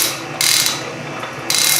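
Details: Refurbished Canedy-Otto drill press in power feed: two quick bursts of crisp ratchet clicks over a steady machine hum as the hand wheel advances the drill faster; normal feed ratchet action.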